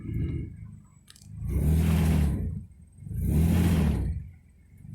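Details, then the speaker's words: Nissan 300ZX petrol engine after fixing misfire caused by loose, badly crimped coil pack wires: revs up twice and settles back smoothly with no stumble, no misfire, back to normal. "so you can definitely tell there's no misfire now back to normal"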